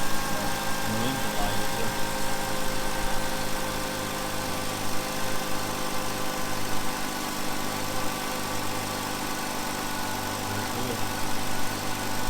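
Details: 2005 Hyundai Sonata just after a new set of coil packs was installed, which was done because electricity could be heard leaking; a steady, even low idle with a smooth regular beat and no misses or stumbles. Normal idle.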